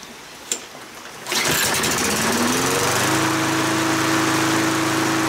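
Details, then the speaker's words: Kohler XT6.75 149 cc 6.75 hp engine on a Yard Works self-propelled mower that used to shut off after 20–25 minutes, after clearing rust from the carburetor main jet: starter pull, then steady, even drone for five minutes with no surging; running normally. "well I've had this thing running for oh five minutes now and it hasn't shut off on its own and I think that's it problem solved"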